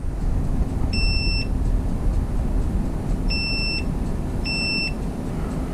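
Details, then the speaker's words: Johnson Evinrude outboard ignition check, multimeter on continuity from coil wire to ground: three clear, high beeps over a low background hum. That side of the coil winding is good. "our continuity setting so we'll hear the beep so that side's good"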